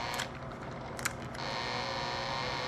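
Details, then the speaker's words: Bell & Howell Slide Cube RF60 slide projector, bought secondhand: after a few clicks, a thin steady hum as the remote focus motor tries but the lens never settles. Remote focus doesn't work, though manual focus by hand still works. "here's the little Focus button which which is trying to work I hear the M trying to"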